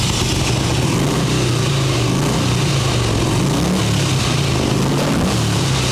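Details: 1989 Harley Ultra Classic Tour Glide Evo, butterfly carb, running only on choke; V-twin holds a high fast steady idle, idling way too high, takes throttle well; accelerator pump not working, needs carb clean.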